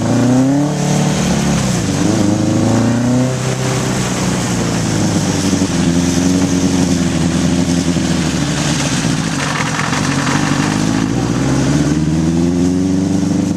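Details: 1981 Honda CB750 K1 four on test ride, partly on choke: revs rise unevenly and sag with ragged stumbles under load, bogging; owner suspects vacuum leaks and carbs out of sync.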